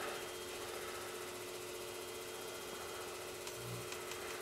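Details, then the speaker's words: Magnum Energy 2000 W pure sine wave inverter/charger in a solar backup system powering on: a faint, steady mid-pitched hum in a quiet room. It is searching because it is not wired to a load yet; normal power-up. "and you hear a little that's it coming on pure S Wave y'all same thing as the power companies and it's searching cuz I don't have it wired up yet"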